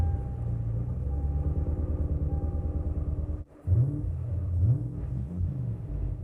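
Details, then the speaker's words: Lexus GS400 V8, 372,000 miles, after ethanol injector swap; uneven, loping idle with irregular dips, then a stumbling restart; not running on eight cylinders, misfire from a massive fuel leak at the last cylinder's injector. "Oh, for a couple of seconds I thought it wasn't running on eight cylinders. No, it's not running on eight cylinders right now."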